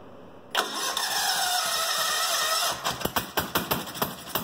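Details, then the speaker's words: Goofy Cart 2 small engine, first start in about two years after rebuild, cold shop, running from gas tank with no fuel pump, exhaust dumping open: sharp crackling bark, uneven at first but running fine. "ya gotta love first start ya gotta love it now I got to finish my exhaust system since it's only just dumping right out right there"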